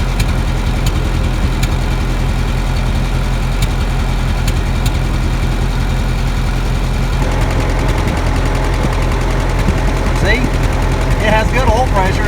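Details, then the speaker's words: 1952 Ferguson TO-30 tractor with Continental Z120/Z129 four-cylinder, before rebuild: steady, even low idle with no knocks or misses and sounds good, yet smoke starts and gradually gets worse; good oil pressure, water pump known bad; cause unknown. "see it sounds good it is starting to smoke a little bit and gradually getting worse and worse"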